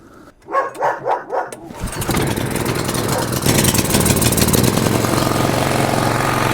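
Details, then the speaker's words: Single-cylinder petrol generator that had fluctuating RPM, after repair with a new jet: pull-start, then a steady even drone with no hunting. Now working normally. "Well, basically, everything works."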